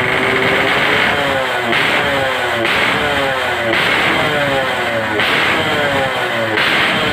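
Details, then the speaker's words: RX-series two-stroke motorcycle engine, all stock, revved in place to check sound and power before riding; crisp high-pitched revving in short bursts dropping back cleanly, pulls freely, healthy. "Ini kita tes TJE yang mau dicor. Kita tes dulu untuk suaranya seperti apa, powernya gimana, baru nanti kita coba jalan."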